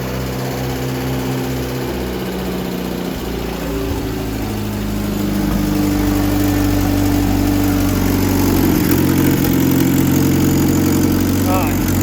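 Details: Carbureted engine with a Rochester carb first started in almost a year on choke after radiator, distributor, fuel and battery were reconnected; idles unevenly with faint rhythmic puffing, suspected exhaust leak and bad carburetor.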